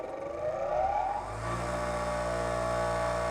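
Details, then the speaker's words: Bench grinder during four-run balance, trial weight placed right on top of an existing unbalance weight, run briefly: motor whirs up then steady hum with heavy drone; 1x vibration 2.3 in/sec, severe unbalance. "At least it's not walking away on me. 2.2 2.3 2.3 in/s."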